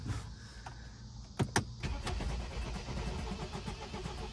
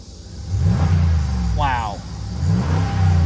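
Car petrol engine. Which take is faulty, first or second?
first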